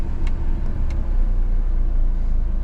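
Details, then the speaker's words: Very low, uneven, lumpy idle after jump-starting; engine down on compression from engine damage and needs a rebuild; smells fuely. "This engine's basically down on compression, so it needs a rebuild. But is it gonna idle?"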